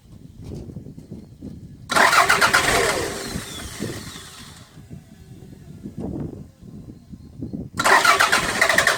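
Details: 1992 Toyota MR2 with a crank-start-stall fault, parked 6 months: cranks briefly, catches, idles unevenly, revs and keeps running with fuel pressure at 42 psi.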